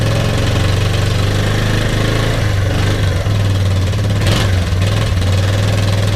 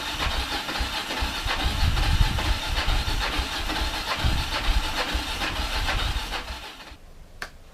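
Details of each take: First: Kawasaki KLF300 Bayou quad from a scrap yard, spark plug fitted and fuel put in the cylinder: single cylinder idles with an even low thump and steady pulse, no misses or knocks; runs normally. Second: Kawasaki KLF300 Bayou quad from a scrap yard, battery feed needed, fuel poured into the cylinder: ragged, uneven firing for about seven seconds, then stops dead; runs only on the poured-in fuel.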